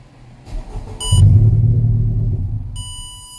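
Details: 2019 Honda Civic crank no start: starter churns about 1.5 seconds with low rumble and warning beeps, never fires; started on supplemental fuel, owner-installed aftermarket fuel pump with his own connector suspected of being wired wrong.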